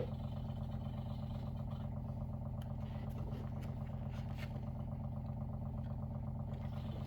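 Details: WaterFirst Dr.Water Y countertop 5-stage reverse osmosis purifier, brand new, first-time setup, filtering with bubbles before auto flush: steady low drone with even soft pulsing just under three beats a second; normal running.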